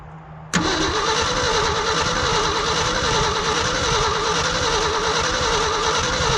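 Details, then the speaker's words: Old Ford dump truck, sitting 20+ years, cranked in the cold: starter spins steadily for several seconds but never catches; spark and fuel confirmed, owner suspects spark not reaching the plugs or the cold weather. "hmm I should have coughed by now got Spark It's got fuel I wonder if maybe it's not getting sparked out to here gotta check them all spark and fuel means you should run"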